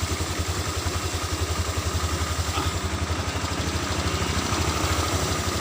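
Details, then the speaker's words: Honda Vario 125 scooter at low idle on the center stand: steady putter with a light clattery pulse near two beats a second, rear wheel turning without throttle, CVT clutch dragging at idle when it should be in neutral. "Pada putaran mesin rendah seperti ini, seharusnya dalam posisi netral, kan? Saat sedang berjalan, seharusnya tidak secepat ini."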